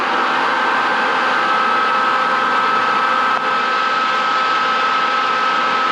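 An even airy roar with one thin steady tone and no rattle or rub, so the fan runs smooth and healthy.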